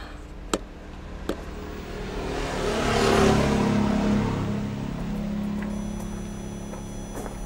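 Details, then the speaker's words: Van diesel heater on its first start after a new exhaust, fuel filter and tank-fed fuel lines, so some air may be in the lines: a couple of clicks, then the fan hum rises to a smooth, steady whir with the pump audible. It is operating normally. "it's blowing let's see if it gets hot it might I might have to do it a few times since I had to change the lines so there's a little bit of air in there but we'll see let's blow hard the pump is going it's not hot yet but I hear it"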